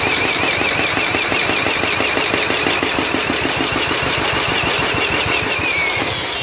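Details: 1995 John Deere STX38 cranked at half throttle with choke and ether: fast even cranking whine with regular compression puffs, never catching; spark and compression confirmed, so a fouled spark plug is suspected.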